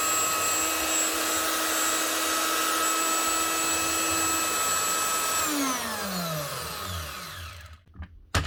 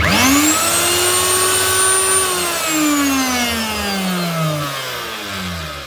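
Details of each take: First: Virutex FC116 door morticer from 2012 after motor bearing replacement. Smooth, steady high whine with no rattle or vibration, then a clean spin-down; the bearings sound healthy. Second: Virutex FC116U self-feeding door morticer, router motor reported very noisy: it whines up, runs harsh and rough with felt vibration, then coasts down; worn motor bearings, later replaced.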